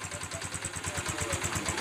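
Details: Honda TMX 125 Alpha converted to 175cc: even, steady single-cylinder putter at idle, around nine beats a second with no misses or knocks; smooth, healthy idle.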